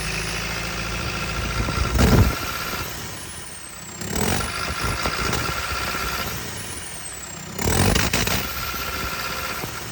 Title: JCB 220 ecomax misfiring